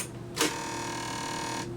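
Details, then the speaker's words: Vintage QIC data tape drive used with a universal tape reader, tape just inserted: sharp click, then steady high whir for just over a second stopping cleanly; normal head-centering initialization. "That's normal. That does some kind of head centering."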